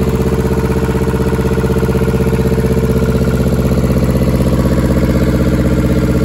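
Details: German air-cooled Deutz F2L511 two-cylinder diesel, ex-forklift, sat about 5 years: steady, even clatter at about four firing beats a second, no misses or knocks; idles smoothly.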